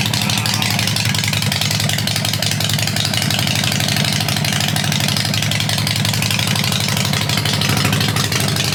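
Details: 2007 Harley-Davidson XL883, 13,541 miles, a non-running theft recovery, now started; deep, loping V-twin thump at a steady idle, with no misses or mechanical clatter. Normal, healthy idle.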